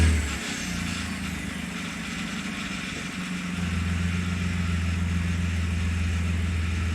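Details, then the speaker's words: 2007 Kia Sorento 3.8L V6 automatic RWD, junkyard 140k-mile replacement engine, first idle; light uneven chatter about three or four a second, owner suspects belt tensioner, unconfirmed; chatter went away after idling a while; power steering fluid low causing slight whine. "initially there is some chatter coming from the engine which sounds like it's coming from the belt tensioner however after idling the vehicle a while the chatter went away on its own"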